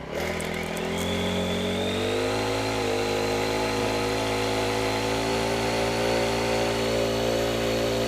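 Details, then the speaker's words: Honda WJR4025 backpack sprayer with GX35 four-stroke engine, just started after choke: picks up from idle to a steady high buzz with blower whoosh, holding even speed while spraying high; normal running under load. "ถ้าส่วนตัวผมแล้วนะผมว่าเสียงมันนุ่มเสียงHondaเนี่ยมันขึ้นชื่อเรื่องความนุ่มนวล"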